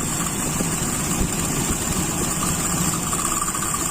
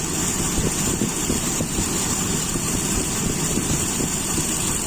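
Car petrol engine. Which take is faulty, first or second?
first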